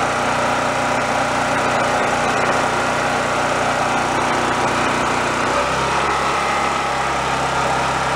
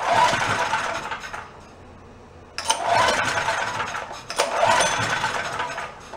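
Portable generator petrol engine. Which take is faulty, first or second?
second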